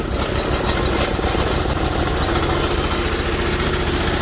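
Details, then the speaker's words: Engine on an old 2011 truck battery, about +35 outside, just started: loud, slightly uneven lumpy idle, "a little angry" because it's running on choke. "oh good news is you start it up a little angry looking but that's because he's running on trolls"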